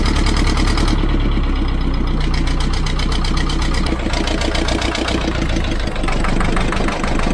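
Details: Old vibratory roller's twin-cylinder diesel, revived after about 20 years unused, idling with a steady even low chug, no misses or knocks; second cylinder picked up after a while, owner suspects debris in injector. Oil leak noted.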